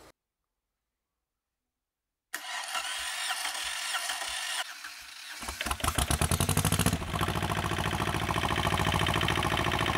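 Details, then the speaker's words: Replacement inboard diesel for an Etap 30 sailboat, run in the workshop with the exhaust off: silence, about three seconds of cranking, then it catches into an even, clattery diesel beat that settles steadily; normal start and idle. "okay so as you can hear probably in the background and hopefully you can still hear me over it the engine is actually running which is the first time that we've ever had an inboard engine run for us"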